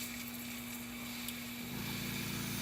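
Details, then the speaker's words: Whisper airbrush air compressor after holding 60 psi with the dial turned: steady hiss of air venting, then the motor kicks in with a deeper hum; blow-off valve dumps excess air and pressure drops to almost 0 psi. "And what you hear there, now that the compressor is also kicked on as well, is you're hearing the blow-off valve, but the blow-off of the excess air coming out of the compressor."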